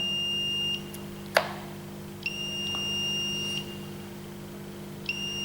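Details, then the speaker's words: Smart RCBO/MCCB (smart circuit breaker) with ground connected directly, device switched on: long high-pitched beeps about every three seconds over a faint hum, signalling a ground fault error again; about 30 V measured between water and ground. "I've directly connected the ground here. I turned on the device. It's showing an error again."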